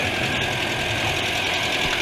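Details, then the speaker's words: Renault Trafic diesel at idle, heard at the front of the vehicle: steady idle with a thin, constant high whistle whose source is not pinned down; the rear is nearly silent apart from the engine fan. "un bruit de sifflements tout ça donc là on est sur l'avant du véhicule tu vois c'est encore assez bruyant"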